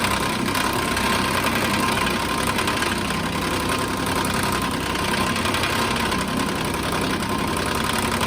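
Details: 2014 Nissan Pathfinder at idle: busy metallic clatter riding steadily over the idle with no rise or fall, a tinny rattle; broken radiator cooling fan.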